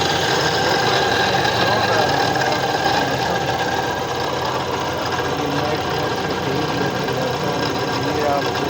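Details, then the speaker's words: Suzuki Mehran Euro 2013 at steady idle: constant whirring rumble with fast light ticking from the water pump (water body) area, diagnosed as worn water pump bearing noise, traced with a rod used as a listening tool. "آپ کو ساؤنڈ سنائی دے رہا ہوگا، یہ واٹر باڈی کا ساؤنڈ ہے۔"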